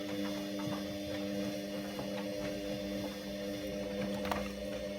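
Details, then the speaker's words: Hoover Optima OPHS712DF washing machine on a 60° test wash while heating its water: faint, irregular clicks over a steady hum as the heating element relay switches on and off, which is normal. "You can hear things going click, click. The element solenoid kicking on and"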